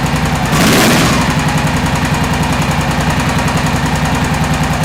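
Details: 2001 Honda XR650L single right after start: a fast, fairly even tick riding over the idle beat, a top-end ticking; owner suspects a valve seat, cause not yet found.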